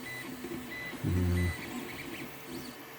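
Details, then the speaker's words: 3D-printed ramp walker test print: steady printer hum and a brief low buzzing move, then one sharp knock near the end; owner suspects a G-code or design problem from a combined STL file, cause unclear. "Doesn't sound good. Don't like the sound of this. It's quite possible there's a problem in the G code, because I combined somebody else's STL file with what I wanted, and there could be something in the design."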